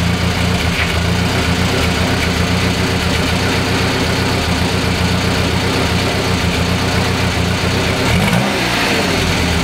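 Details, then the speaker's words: Renault 11 exhaust sounding loud while revved for inspection; loud hollow raspy drone rising with revs, unmuffled. Owner suspects no baffles left inside the silencer; leaks at joints, no holes in silencer. "on dirait pour moi c'est il y a plus de cloison à l'intérieur parce que j'ai pas de flûte"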